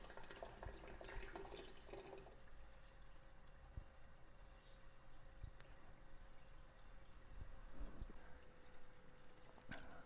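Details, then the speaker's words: Reef tank overflow drain after adding an air-control valve, valve partially open: water runs steadily down the drain with only occasional soft gurgles as air gets sucked in, no surging; flowing quietly enough. "But with the water going through like that, at times some air gets sucked in and you still hear a little gurgling, but it's not too bad."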